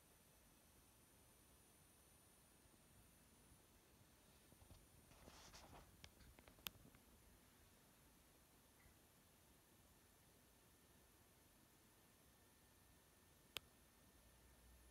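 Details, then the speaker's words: Focusrite Clarett 4pre USB audio interface powered on: a faint, steady 9.5 kHz whine over near silence, coming from inside the unit on the right side, loudest near the headphone outputs. "So that 9.5K whine seems to be coming from inside the unit, and it appears to be coming from the right hand side of the unit."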